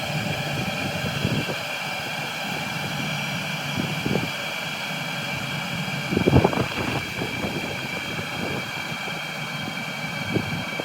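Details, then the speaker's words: Cheap Chinese 12V diesel heater on about 11.5V from lithium batteries, turned down to minimum heat: a steady fan whoosh with a soft, even fuel pump tick underneath, burning calmly; normal running at low heat. "so as you can hear the diesel pump has actually been reduced virtually to minimum heat setting"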